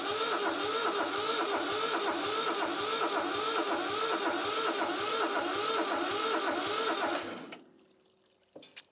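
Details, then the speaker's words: Old Shibaura diesel tractor (Ford-tractor maker) that sat for years, cranked without starter fluid or glow plugs: slow, even starter churn with compression beats about twice a second and a little smoke, never catching. Cranks but does not start. "It sounds about the same, actually. I don't know, maybe a little better, a little stronger."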